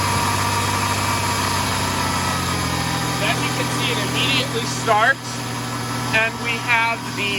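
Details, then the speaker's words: 1994 Ford Ranger after idle air control valve replacement: smooth, steady high idle around 1500 rpm settling to just under 1000, even low drone with no misses or stumbles; normal fast idle. "idle [Music] and it runs nice and smooth and high idle and it's idling just at 1500 rpms dropping down to a thousand slightly below a thousand"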